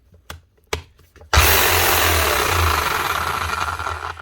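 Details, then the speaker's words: Drill previously serviced for sticking brushes, still cuts out: knocks, then motor spins up and drops away after a few seconds; intermittent loose connection triggered by banging the machine, not the lead, suspected in field or brush holder. "There's something else wrong. The customer thought it seemed like a lead, but it's not. It's not when you jiggle a lead. It seems when you bang the machine."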